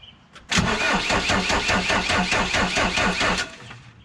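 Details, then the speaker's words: Volvo BL70 backhoe, Deutz BF4M2012 diesel, first start-up attempt after new filters and fluids, with the injector lines cracked to bleed air: steady cranking with even compression pulses and no firing, fuel now starting to come through. No start from air in the fuel lines. "all right now we got fuel coming in all right this is a good sign"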